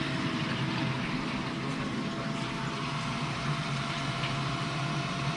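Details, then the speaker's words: Lochinvar Shield commercial water heater circulation pump running after repairing the leaking union above the pump and resetting the GFI it had tripped; constant hum with water flow, no rattling or surging, no leaks; normal pump running. "no leaks let's see if we ignite and start setting up the water okay button is on yep everything runs the way i should"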